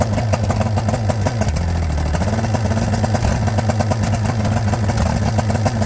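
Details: Johnson GT 200 outboard after new starter and power pack, water flowing: loud, dense rumble holding steady speed with a brief dip and recovery; fires on all cylinders and runs healthy.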